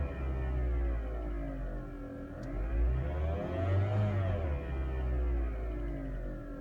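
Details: 2012 Fiat 500: a thin whine over the engine note rises and falls with revs, intermittent and worse when damp, continuing after a belt replacement; no change with HVAC, lights or steering; the battery light came on, alternator suspected.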